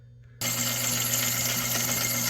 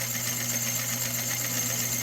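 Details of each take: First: 1970s Rowe AMI jukebox, said to be ex-Waffle House, under repair: powers up with a steady mechanical whir and light clatter while the selector spins freely past the ring of pins without engaging the drum; selector not engaging. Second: 1970s Rowe AMI jukebox under repair, with the selector contact pushed by hand: steady motor hum under light, even mechanical chatter as the drum turns and picks a record; normal record selection cycle.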